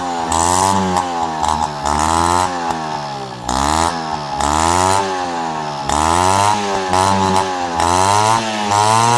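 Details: Peugeot 103 RCX moped two-stroke, first start after full engine rebuild and carb cleaning: crisp buzz blipping up and down in quick bursts, picking up cleanly each time; running healthy.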